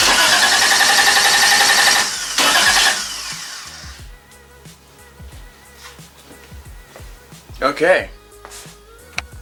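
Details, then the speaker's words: 1JZ-swapped widebody Toyota Supra after installing a replacement starter, fuel pump deliberately off: strong, even whirring crank for a few seconds that never catches; normal starter cranking. "I didn't have the fuel pump on I didn't know if you guys heard that but I kept it off just to hear it crank so it cranks that's good"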